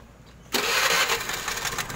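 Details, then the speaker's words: Honda Vario 125 carburetor (CBS) scooter after block boring, rebuild and carburetor service, first start after refitting engine to frame; fires at once into even steady idle, no misses or knocks, no more smoking. Normal start and idle. "Oke, teman-teman bisa dengar sendiri ya suara mesinnya. Alhamdulillah halus. Tidak ada lagi ngebul ya, tidak ada lagi ngasap ya teman-teman."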